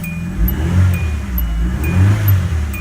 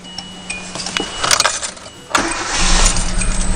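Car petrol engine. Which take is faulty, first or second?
second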